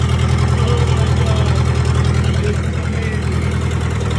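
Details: 1998 Gehl 4625 skid steer four-cylinder diesel, first fire after a self-rebuilt injection pump, new injectors, new filters, fluids and fuel tank, started by jumping the glow plugs; steady, even fast-idle clatter. Normal running.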